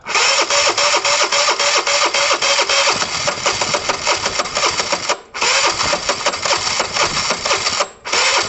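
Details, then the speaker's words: Chinese car, fired up after hooking up battery and adding fuel; ragged uneven firing, irregular pops, two dips near stalling; rough running, guessed to need an engine rebuild. "so it's not sounding great is it"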